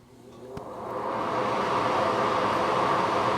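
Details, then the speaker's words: Bathroom exhaust fan after lubricating and reassembling the motor shaft; smooth airy whoosh builds then holds steady without squeal or rattle, silent again after the earlier noise; normal fan running. "and you can hear she's silent again although I didn't let you hear the first time with the noise"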